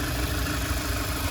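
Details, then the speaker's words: 2015 Mazda CX-3 Maxx, listened to at idle under the bonnet: smooth even low rumble, no knocks, ticks or squeals; normal idle. "And as we listen to it run, no major knocks, rattles or squeals. Just that motor ticking over nicely."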